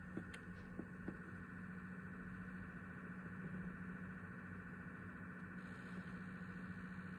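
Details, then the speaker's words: PlayStation 5 with a game started, console vibrating slightly, about 20 cm clearance and 10 cm at the back: steady low whirring hum with a faint higher whine, getting louder over time, louder still after half an hour. "hallo sony das ist ein video von meiner playstation fünf die macht komische geräusche und so hört es sich an wenn ich in einem menü bilden ohne dass ich ein spiel starter und jetzt wenn ich das spiel startet fordert heute sich so an"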